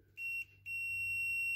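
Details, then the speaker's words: 2008 Dodge RAM 6.7L, code P2580 turbo speed sensor circuit low, multimeter continuity check of sensor wire against harness terminals: two steady high beeps, the tone that would flag a short; no short found. "So basically all you have to do is go around and check each terminal. Just touch them really quickly, and hopefully you don't hear that beep."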